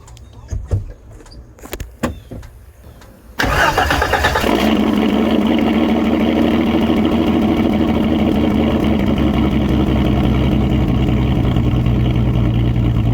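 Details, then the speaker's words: 1989 Jeep Cherokee XJ, 4.6L stroker I6, old muffler cut off before fitting Flowmaster 50; cranks, catches and settles into a loud, raw, booming idle with no muffling; open exhaust, muffler removed. "It's not as bad as I was expecting, honestly. I almost like it. Almost."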